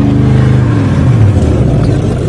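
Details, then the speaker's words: Rusty Oldsmobile 88 first start after sitting three years, fuel poured into carburetor: deep steady rumble with small throttle swells, running on its own, some smoke; smooth and healthy. "running all by itself it was sweet"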